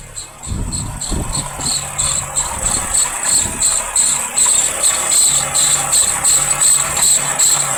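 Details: Engine at quiet idle: shrill chirping squeak pulsing a few times a second, tracking belt speed; water pump, alternator or other belt-driven accessory suspected, to be narrowed by removing drive belts one at a time.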